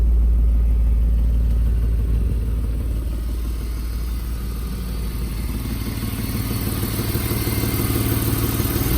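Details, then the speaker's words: 1995 BMW E34 520i Touring phase 2, six-cylinder: a loud, raspy, blatting exhaust at idle and on light revs, far coarser than stock. The muffler is completely rusted through, an exhaust leak flagged as a technical-inspection fail point. "On va faire un énorme bruit puisque le silencieux est complètement mangé. Ça aussi, ça fait partie des points du contrôle technique. Donc ça fait un petit bruit un peu rauque."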